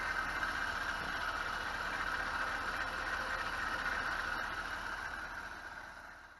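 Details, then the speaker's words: BMW E46 at idle after valve clatter fixed: constant whirring whine with light regular chatter on top, pinpointed with a PVC-pipe stethoscope to the belt tensioner pulley; worn tensioner, quieter after replacement. "now that the valve clatter is gone i can hear some other noises sounds like one of the pulleys is unhappy i'm going to use a piece of pvc pipe like a stethoscope to pinpoint the source of unhappiness sounds like the tensioner"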